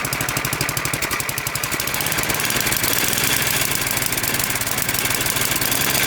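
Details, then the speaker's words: Snowblower that surged at idle and would not idle down, after cleaning out small carbon chunks and spraying fogging oil: small single-cylinder engine settles into an even, steady idle without hunting, surging or stalling. "You can already hear how much better it runs. That thing wouldn't even stay idle. Couldn't even idle it down before. Now it's not surging and it can idle down without stalling out."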